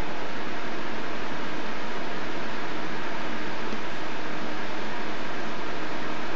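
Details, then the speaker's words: Corsair H100i GTX liquid cooler fans, mic at the fan, after BIOS fix of 0 RPM problem, on maximum Corsair Link profile: steady even air rush at full speed, no ticking, rattling or bearing noise; normal. "well Max is quite maximum uh maximum noise so I choose balance of performance"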